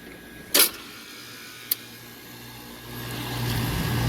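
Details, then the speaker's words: Carrier package unit compressor running in cool mode, checked after a tripped breaker for possible locked-rotor draw. A click, then a smooth, steady hum while drawing 5 amps. Normal compressor operation. "on pulling 5 amps which is not bad at all"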